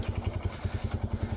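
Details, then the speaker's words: TVS Apache 180 motorcycle, riding after hitting a pothole that broke the engine guard. A loud deep thumping clatter at about eight beats a second rides over the running single. The rider attributes the very loud noise to the ball racer (bearing). "এই যে আওয়াজটা শুনি, এটা বল racer থেকে হচ্ছে, মানে খুবই বিকট এই আওয়াজটা হচ্ছে।"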